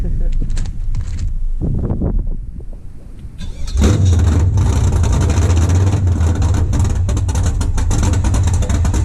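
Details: First startup of an LS V8 swapped into a BMW E36, no exhaust built yet, coolant not yet filled, ECU not yet self-tuned: sputters briefly, then catches after about four seconds into a deep, rough, steady rumble. Runs normally but still untuned.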